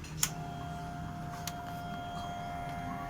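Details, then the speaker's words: Honda Vario 125 with error blink code 52, key on: fuel pump hums continuously but does not pump; ECU not supplying 12 V to the CKP circuit, ECU suspected faulty, not confirmed. "Ya, ini dengung terus. Cuma dia pompanya dia nggak jalan."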